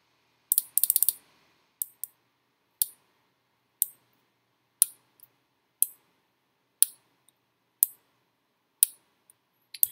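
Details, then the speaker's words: Arduino-driven relay module switched from pin D13: crisp single clicks about once a second as the relay pulls in and drops out cleanly. Normal relay switching. "when you power it up there is there so that's the relay clicking on"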